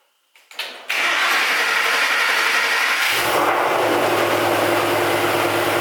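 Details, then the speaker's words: Freshly built Ford Coyote V8 with DW injectors and gen 2 heads, first start after swap: short crank, catches cleanly and settles into a strong, even rumble with no knocks or ticks; healthy start. "somewhat speechless really excited that this is now officially running"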